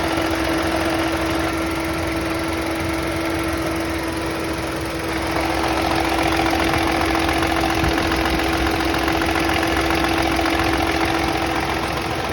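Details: Chevrolet Onix at idle with a constant high-pitched tone over a fast, fairly even tapping about three per second; owner asks what the engine noise is, cause unconfirmed.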